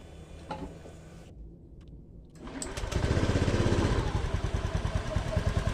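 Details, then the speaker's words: Honda Scoopy that cut out when hot, after replacing throttle sensor, wiring and finally the CKP sensor: starts quickly and settles into steady, even idle with no misses or knocks; normal idle after CKP replacement. "Langsung normal. Ini CKP-nya saya ganti."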